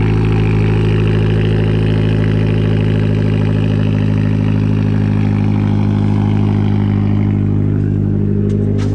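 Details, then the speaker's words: 2012 Fiat Abarth with random misfire, after installing a replacement ECU cloned from the original; smooth, even, low idle hum with no stumbles or skips; misfire gone and no check engine light. "okay so we did make progress it's not no misfire anymore so that's good that's really good and there's no check engine light"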